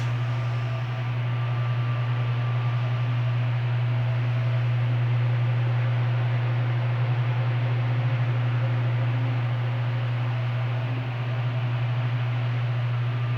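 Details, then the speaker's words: Arno Turbo Silêncio fan fitted with a universal oscillation gearbox: steady low motor hum with even airflow hiss, no grinding or clicking from the swing gearbox; fan runs and oscillates normally. "vou ligar para vocês verem que o jogo de oscilação Universal funciona bem o aparelho oscila normalmente na linha Turbo Silêncio"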